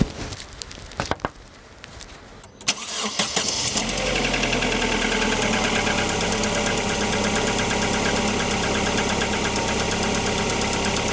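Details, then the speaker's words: Opel Antara cold start after sitting several days with the oil drained down, checking whether RVS G4 additive changed anything: a few cranking clicks, then a busy, slightly ticking idle about four beats a second. Cause unclear. "nyt se on tässä seisonut monta päivää ei oo ajettu varmasti on kone kylmä ja öljyt valunut pohjaan ja kaikkea muuta. Niin nyt lyödään se tulille ja katotaan, että miltä se kuulostaa."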